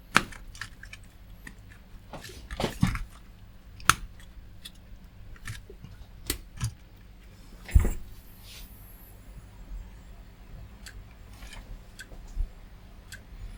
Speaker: Right, the hard drive's clicking. Can you hear that? It seems to have stopped the machine from actually booting.